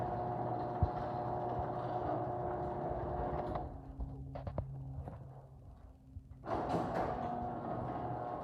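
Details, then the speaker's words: Chamberlain garage door opener running after foam insulation padding was added to the door: even motor hum with light chain rattle, short pause, then smooth quiet run; now sounds like modern chain drives, working normally. "so i don't know if you guys can hear the noise difference but this opener is starting to sound like today's chain drives"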